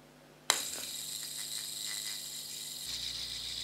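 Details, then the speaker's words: Lightweight LED fidget spinner with a skateboard-type centre bearing, flicked: a thin, steady high whir with a slight loose bearing rattle. It still spins as fast as regular spinners. "So you can hear the bearing rattling a little bit, but it does seem to be spinning just as fast as my regular other fidget spinners do."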